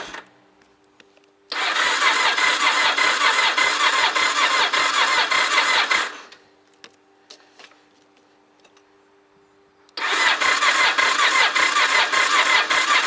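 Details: Honda motorcycle after 2.5 months parked outdoors in late autumn, battery at 10.9 V, choke pulled, cold: two long bursts of fast even cranking, about 160 turns a minute, no catch; cranks but won't start, cause unconfirmed.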